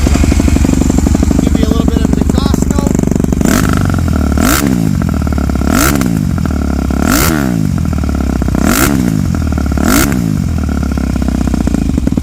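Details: 2008 Yamaha YZ250F, mostly stock motor with stock cam, dual valve springs, light head polishing: steady single-cylinder idle, then quick throttle blips rising cleanly and dropping straight back; healthy motor.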